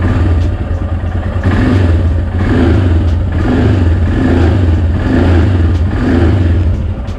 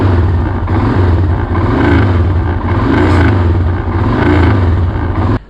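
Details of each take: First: Royal Enfield Himalayan single-cylinder idling and blipping evenly after a DIY packing fix on the front end; the earlier "tuck tuck" front vibration rattle is gone. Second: Royal Enfield Himalayan single-cylinder thump with light tapping rattle from the front, caused by loose headlight mount vibrating; fixed practically free.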